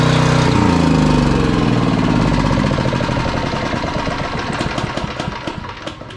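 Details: Genrac 5000 watt generator with Briggs and Stratton 10 hp engine, sat unused for years, running after first start with electric drill plugged in: even single-cylinder thumping with a steady beat that slowly fades, no knocks or rattles; normal running.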